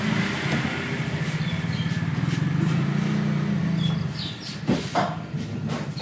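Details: Avanza-type car after overheating caused by a non-spinning radiator fan motor, radiator topped up: even, low drone with steady pulse and no missing beats, then a few handling clatters; normal idle.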